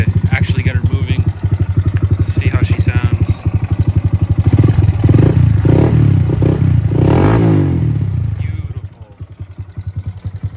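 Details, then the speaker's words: 2025 Honda Grom after clutch rebuild and engine reinstall, 13 front sprocket: crisp, even single-cylinder beat swelling and settling smoothly with throttle, a slight suspected little backfire; otherwise running as it should. "she's down to a 13 sprocket with a 23 motor and everything's just running as it should"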